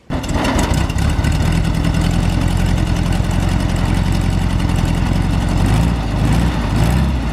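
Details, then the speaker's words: VW Kombi air-cooled engine at low idle after tightening and adjusting valves: slightly uneven idle with faint shake; improved, still vibrating a little; slightly rough low idle. "melhorou cara tá vibrando um pouco mas quando eu forçava assim ó parece que mudou"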